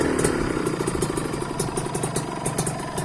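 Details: Used Kawasaki Ninja 150 two-stroke, previously serviced, with an aftermarket racing exhaust: crisp, rapid popping idle with sharp exhaust rasp, steady and even; loud pipe but engine sounds fine; normal two-stroke idle.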